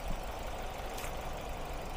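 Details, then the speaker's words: Ford Focus, warm engine, after water found at the ignition coils (cylinders 1 and 3 had misfired, failed coils): restarted, now even steady idle with no shaking or stumble; all cylinders working normally. "打着看一下现在就稳多了啊直接一点都不抖了来看一下，现在也有反应了啊工作现在工作正常了"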